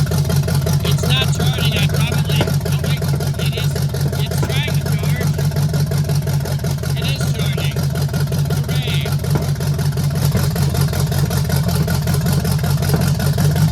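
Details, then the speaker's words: 1968 Chevelle with a swapped-in small block V8 at first start, throttle worked by hand, with a large gas leak. Rough idle with a steady rhythmic popping; owner suspects one exhaust valve is not sealing. "What it is is that rhythmic popping over here means that one of the exhaust valves is not sealing. And when that cylinder is firing, it's firing it out the exhaus"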